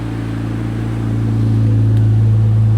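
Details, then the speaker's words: 2020 Jeep Gladiator Mojave 3.6 with Edelbrock E-Force supercharger, cold, after replacing serpentine belt, hydraulic tensioner and idler pulleys: smooth steady hum rising evenly when revved, no belt squeal or chirp; running fine. "you can see, she starts. She seems to be running fine."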